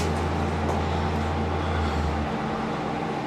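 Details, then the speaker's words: Extractor fan in a newly repaired flat's shower room, blowing air in: a loud, steady low drone with an airy rush that never lets up; far too noisy to run all night. "this noise all night long would drive me mad."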